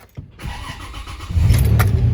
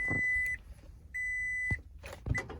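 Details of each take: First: 2006 Toyota Tacoma 4WD, manual with clutch in, after intermittent clicking no-crank blamed on the starter; battery terminals cleaned before this try. Brief even cranking, then the engine catches within about a second and settles into a steady idle: a normal start. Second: 2006 Toyota Tacoma 4WD, battery and terminals checked and cleaned, jump failed: two chimes then rapid dry clicking about three times a second with no cranking; starter suspected failed, intermittent beforehand.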